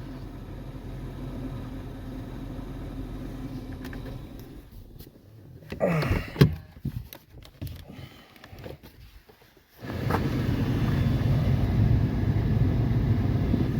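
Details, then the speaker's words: 2013 Toyota 4Runner cabin blower after repair: steady, even rush of air with no whine or rubbing, brief handling pause midway; earlier noise likely the fan rubbing debris (suspected mouse nest) near the cabin filter, not the motor. "Now it just sounds like moving air. It doesn't, you're not getting the whining noise."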